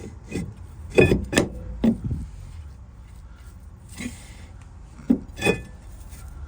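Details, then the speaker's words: Ford Transit Connect rear drum brake after adjusting the shoes and refitting the drum, spun by hand. A few soft scraping rubs come and go as the shoes just touch. The adjustment has found its sweet spot, which is what is wanted. "Just hear them touching. So that's what we want."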